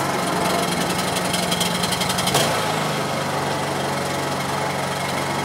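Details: Honda EU2200i inverter generator running after a hard start on a drained, dry carburetor (about 10 to 11 pulls). Steady buzzy engine drone at constant speed with one brief blip, then even running: normal running.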